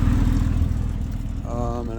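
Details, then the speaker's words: 2011 Ford Edge Limited on remote start at idle: loud coarse low rumble with an uneven puffy chuff in the exhaust note; good-sized exhaust leak, exhaust hanging down underneath. "okay so remote start sounds like it's got a pretty good exhaust leak and if you look underneath it's kind of hanging down a little bit"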